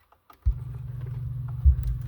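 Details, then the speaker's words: Truck car audio system with new engine noise and whine in the speakers, owner suspects bad 4-channel RCAs: constant low droning hum from the subwoofers, not that bad, and always present in the subs. "But that's not that bad, but I mean I've always had that um in the subs."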